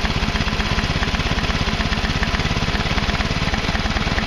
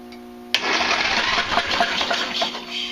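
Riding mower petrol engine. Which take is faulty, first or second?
second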